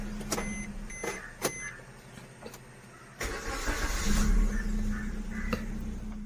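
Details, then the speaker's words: 2014-on Maruti Swift Dzire petrol, tested after sitting three hours, following replacement of all four injectors for long cold cranking: a few chimes, then it catches on the first crank and settles into an even idle; normal start, fault cured. "ഒറ്റ അടിയിൽ start ആകുന്നുണ്ട് complaint മാറിയത് ഈ കംപ്ലൈന് നാല് ഇൻചക്ടർ മാറിയാൽ മതിയാകും"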